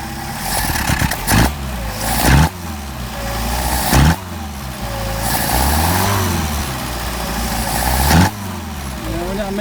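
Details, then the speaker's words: Mercedes 190SL Solex carbs rebuilt elsewhere, on a test engine: revs stumble and hang coming off idle before climbing; poor idle-to-higher-rpm transition, accelerator pump suspected but unconfirmed. "a little hesitation there it could be an accelerator pump this opening up just a little bit"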